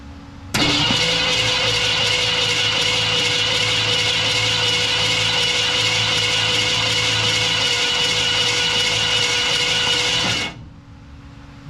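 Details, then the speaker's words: 1969 Ford F250 352 V8, previously stuck engine now freed: about ten seconds of even starter cranking at two to three turns a second, no catch and no binding; engine turns over freely. "Let that catch whatever little fuel is left in the fuel line. Crank it over a few times and see how it goes."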